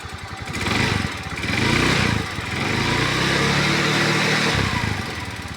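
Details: Scooter engine revving up and down with an uneven, rough rattling layered over the note; abnormal noise, source unknown.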